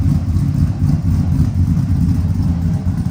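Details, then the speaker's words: 1999-06 Chevy Silverado V8 with performance cam and new Flashark intake: deep lumpy, slightly choppy rumble with the cam audible, not obnoxious, no knocking or rattles; healthy engine. "You can hear that cam sing. And it's not obnoxious. It's not obnoxious at all."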